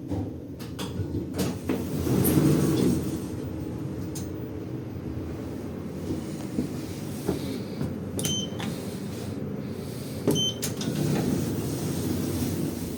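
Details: 2011 Schindler 5300 lift, normally runs well: rumbling car travel on the way down with scattered clunks, knocks and scraping thuds; abnormal descent noise, source not identified.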